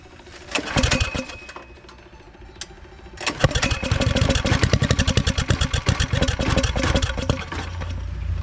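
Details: Turbo Predator engine first start, after fixing a wire pinched under the spark cover that had prevented spark: a few cranking bursts, then a fast, slightly uneven thumping run that settles as the idle drops; runs fine.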